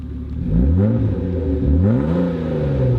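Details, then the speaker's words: 1994 BMW 325i convertible, straight-six with 249,338 miles, four-speed automatic and modified exhaust: two smooth rev rises and falls with a mellow, even, conservative exhaust note and no knocks or rattles. Healthy. "and this one has exhaust modifications so it makes a nice sound not outrageous conservative noise"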